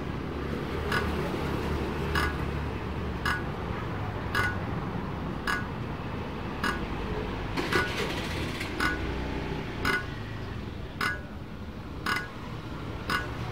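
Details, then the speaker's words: Diesel engine with new injector nozzle, flywheel turned by hand with throttle open: sharp crisp hiss-pops about once a second, clean spray; healthy injector atomizing properly by hand cranking alone. "Baik sahabat, injektor sudah oke, dan ini sebagai ciri-ciri ya bahwa bila keadaan nozzle atau injektor bagus, itu cukup dengan menggunakan tangan ya."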